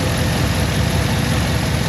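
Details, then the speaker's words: Cadillac Escalade idling a few minutes after coolant refill during a head gasket block test: deep, even idle with steady low rumble, no knocks, misses or ticks; head gasket tests good, leaking radiator still pending. "Alright, I flapped long enough. Head gasket's good. Now we'll see if they want us to do the radiator or not."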